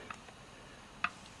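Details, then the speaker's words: Dodge Charger SRT8 standard open differential, input flange rocked by hand: two light sharp metal clicks, the normal ring and pinion backlash, for comparison with a loose Wavetrac unit. "you can hear the small clicking here that's that's just the backlash between the ring and the pinion gear"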